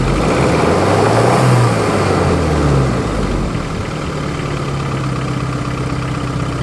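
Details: 1993 Geo Tracker engine idling and revving: loose off-rhythm clatter rising with speed; possible rod knock, cause unconfirmed.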